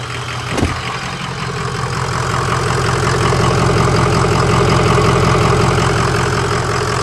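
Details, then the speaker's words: 2004 Ford F350 6.0 Powerstroke diesel (bored .020 over, stage 2 cam, 175/30 injectors), just after fitting aftermarket intercooler pipes and throttle body, no engine lights: steady even low clatter; owner thinks turbo sounds louder; normal idle. "This might just be me, but you can hear that turbo quite a bit more."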